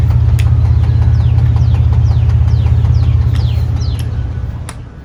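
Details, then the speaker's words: 2013 Dodge Avenger 2.4L dual VVT four-cylinder idling; deep regular knock about three a second under the rumble, rod knock and piston slap. "there's a brother bad I hear them knocking yeah it sounds pretty bad"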